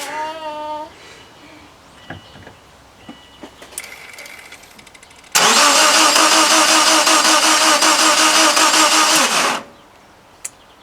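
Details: Subaru Impreza crank-no-start, second day of diagnosis, meter on AC volts checking crank sensor output during cranking: steady starter churning about three turns a second for four seconds, engine never fires; cranks, no start.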